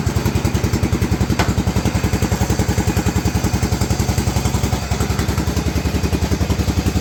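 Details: Cub Cadet 2135 riding mower revived after 38 years sitting, started on choke: crisp evenly spaced firing pulses at steady idle, about three to four per second, no stumbles; runs fine.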